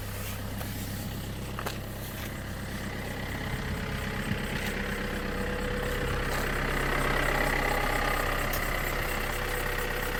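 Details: Opel Insignia 2.0 CDTI diesel at idle: steady rumble with a light, fairly regular tick of about three to four per second. Source not identified. Engine noise at idle.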